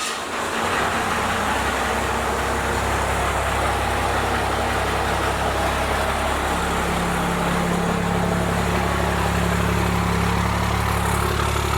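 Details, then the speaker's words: First-gen Cummins diesel with a 4-inch straight pipe, started right after advancing the injection timing and before the idle adjustment: loud clatter that at first sounds the same, then after a few seconds the tone lifts and the idle rises slightly. "I almost want to say at first when it started up it sounded exactly the same, but after it ran for like 2 seconds I do want to say the tone did change a little bit. It did sound like it bumped it up a tad."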